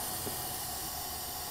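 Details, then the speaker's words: 2014 Bentley Continental GT at idle, low on oil and consuming it: steady shrill hissing whistle as excessive crankcase vacuum draws air past small seals; the noise itself needs no repair. "also that noise you hear is from the strong vacuum pulling air past little seals here and there it's just so loud"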